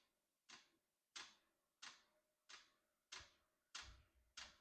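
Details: Unboxed diesel heater, first start out of the box: sharp, even ticks about one and a half per second over near silence, fuel pump metering normally during start-up as it heats up.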